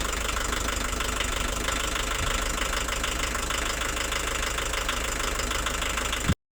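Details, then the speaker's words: 35-year-old VW camper van, turbo diesel rated 70 hp new, owner suspects dead turbo compressor (can't exceed 80 km/h): constant loud clattery diesel rattle at an even idle rhythm, no misses; normal diesel idle. "it runs it drives it's slow it's noisy and it sounds like my childhood"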